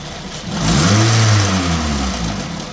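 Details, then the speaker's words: 2005 Pontiac Vibe, Toyota 1.8 engine, 250,000 miles, good compression: brief rev blip with a whirring tone following the engine note as it rises and falls; suspected timing component or actuator noise, unconfirmed. "I don't know, guys. That sounds like a timing component to me."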